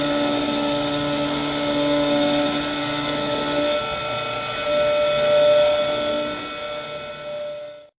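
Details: Modela PCB mill cutting out boards with a 1/32" bit, deeper cut each pass, cover on; steady high spindle whine with even cutting hiss, no tool chatter or squeal; normal milling, though the board was not cut fully through.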